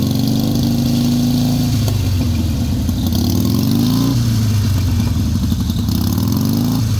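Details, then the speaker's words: Harley Sportster 883 revving up and down with a thin metallic squeal over the V-twin exhaust note, especially when riding; exhaust slip-ons missing mounting bolts to the bracket, moving metal-on-metal; stops when foot pressed on exhaust. "And I was hearing this awful squealing noise, especially when I'm riding. Let's see if we can make it happen again."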